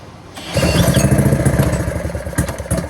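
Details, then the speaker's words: Go-kart small single-cylinder engine, clutch found bad: catches after half a second and settles into quick, fairly even popping, showing the engine itself is not destroyed. "Proof that the engine's not destroyed."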